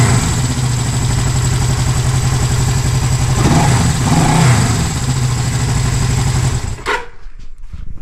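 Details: 1973 Honda CB350G, first start after 10 years in storage, with points cleaned and the carburetor still leaking (float and shut-off suspected): even, steady twin idle, about four pulses a second with no misses or knocks, until shut off; normal idle.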